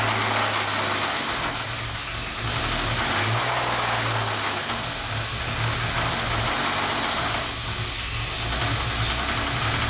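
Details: 1998 Ford SVT Contour at idle: deep, regular knock about three or four per second riding the engine note, from bad rod bearings.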